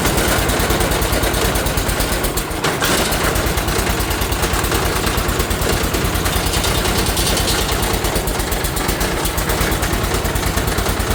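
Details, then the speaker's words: 1980 John Deere 216 tractor started cold in the morning with choke, loud low thumping idle with an uneven beat and stumble; rough cold running. "It isn't happy about the cold."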